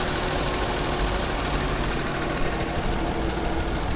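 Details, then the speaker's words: Used 2018 Lexus RX 350, about 52,000 miles, 3.5 V6 2GR engine, during a pre-purchase inspection: even, steady idle rumble with no knocks or misses, torquey motor; smooth, healthy normal idle. "pretty torky I'll tell you that much that motor grabs and go not going to lie that motor with spin tires the 2gr normally runs pretty well"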